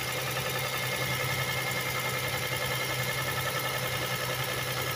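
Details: 1999 Toyota Sienna, over 200,000 miles, after valve clearance shim work for misfire, about two minutes after start: steady light ticking over even idle, easing as it warms; valve lash ticking.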